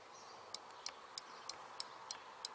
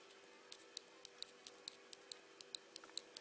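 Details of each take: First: BMW R1200 GS front brake lever micro-switch (fault: no servo brakes, rear brake light stays on), switch refitted and lever adjusted. Seven crisp, sharp clicks, roughly three per second: switch actuating when the brake is pulled. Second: BMW GS1200 brake-lever micro-switch, normally-closed type, clicks crisply about three to four times a second as the lever works but makes no contact; result is no servo brakes, no startup whistle, and rear brake light stays on; failed micro-switch.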